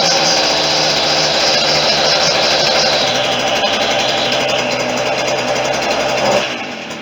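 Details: Stihl FS40C string trimmer two-stroke after tune-up, started after priming; loud steady high-pitched buzz held at high revs, even and unbroken, easing off at the end: engine running.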